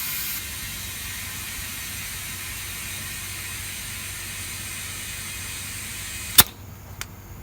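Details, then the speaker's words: Flat tire: a steady, hard hiss of air escaping at the valve stem holds without pause, then a sharp click; the Schrader valve core is leaking. "now if you can hear the air but it's leaking here so valve stem"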